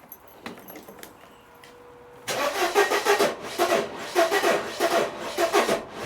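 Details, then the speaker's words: 1994 Mercedes W202 C180 after rewiring, spark plugs cleaned, fuel smell present: starter grinds the engine over in uneven, labouring bursts without firing; crank no start with no spark and something seeming to lock the engine. "Definitely no spark and something's locking the engine."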